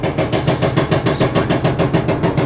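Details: LG DLE1101W front-load dryer: steady rhythmic thumping about five times a second under the drum rumble, repeating with rotation; the owner suspects a worn drum support wheel; wheels, belt and tensioner later replaced.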